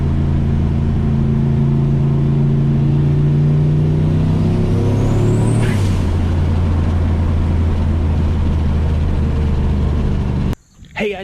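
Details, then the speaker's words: Turbo C10 truck V8 after heads resurfaced and valve job, misfire fixed (plugged fuel injector screens from tank dirt fouling plugs): runs smoothly, revs up and settles, no stumble. "so man oh man and i think i think we're on the right track here so wow this thing works dude look at this oh i fixed it"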